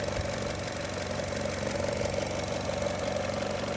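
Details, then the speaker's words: 2018 Chevrolet Trax with EVAP (P0443) and mass airflow codes, idling after the MAF sensor was cleaned: steady, even idle with a constant low hum and no misses or surges; MAF readings now near spec, just slightly low. "Wow, look at those values after I cleaned the filter, or the mass airflow. We're way where we need to be. Just a touch low, but that won't trigger a check engine light."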